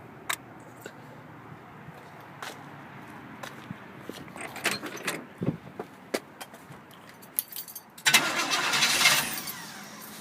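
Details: Old 350 V8 with two spun rod bearings: cranks and fires, then runs loud and rough with a heavy, regular knock; rod knock.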